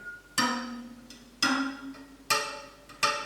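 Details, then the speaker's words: Bicycle wheel on a truing stand, four spokes plucked ring at clearly different pitches; the higher-ringing spoke has higher tension and is slackened to correct uneven spoke tension on a wheel rubbing on one side. "so we're going to slacken off this one because the one on the other side's got a higher tension."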